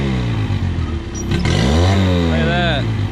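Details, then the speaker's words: Outboard engine after carburetor idle-screw adjustment (screw turned in fully, then backed out counterclockwise to spec); it picks up smoothly into a clean rev and settles without stumbling. Normal running, issue fixed. "works like a charm now we're going to move on to our next engine"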